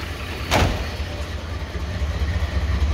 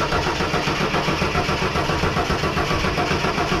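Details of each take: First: 1983 Ford XE Falcon 4.1L Crossflow EFI, first start after sitting for years, with leftover LPG wiring worked through: a deep, steady exhaust burble at idle with no misses or knocks and clean exhaust. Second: 1983 Ford XE Falcon 4.1L Crossflow EFI, sat for years, ex-LPG with mystery wiring, throttle held open: starter churns steadily for about six seconds, never catches.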